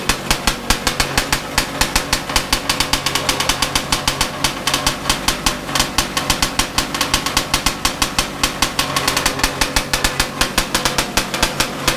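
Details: Bigbore stroker 277 snowmobile two-stroke, very first pull-start after rebuild with new sleeve, engine freshly installed in sled, primed beforehand, carb roughly set up: sharp, even, fast popping with no misses or knocks; engine fires and runs cleanly.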